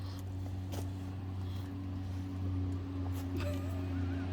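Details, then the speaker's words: 1989 Buick Reatta engine holding a steady fast idle around 2000 RPM, a quick even hum that never settles; idle air control valve was being cleaned and checked as a suspected cause. "oh I think we discovered the problem of it idling at 2000 RPM"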